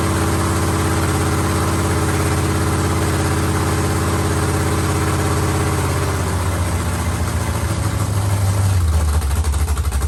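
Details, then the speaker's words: Carbureted LS7 V8 with stage 3 cam and heads in a 1971 Camaro, first fire, no coolant circulating: loping, uneven cam chop at idle settling into a steadier rumble; sounds healthy. "so here you guys go we have ls7 you can kind of hear the cam chop in there a little bit"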